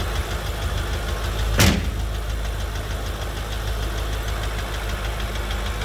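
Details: BMW M5 F10 S63TU engine at idle: faint fast even ticking over steady idle with one louder bang early; cause unknown.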